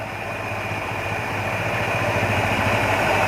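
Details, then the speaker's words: Carburetted engine at idle as the TP sensor is adjusted: rpm rises and the engine sounds busier when turned toward advance and drops when retarded; too far advanced raises idle, to be set midway. "जैसे ही मैं इसको ऊपर कर रहा हूँ तो गाड़ी मेरी एडवांस हो जा रही है, यानी कि आरपीएम इसका बढ़ जाता है, और जैसे ही नीचे कर रहा हूँ तो आरपीएम कम हो रहा है।"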